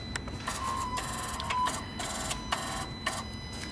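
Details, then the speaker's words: BMW M140i (B58) with new Pure800 hybrid turbo, wastegate actuator swapped from old turbo, ISTA self-test of min/max set points: short electric buzzing sweeps with pauses, motor driving back and forth smoothly; test complete, no faults, no adjustment needed. "so what we have to do is go on insta carry out self-test function basically yeah and that will tell us whether it needs to be adjusted or not"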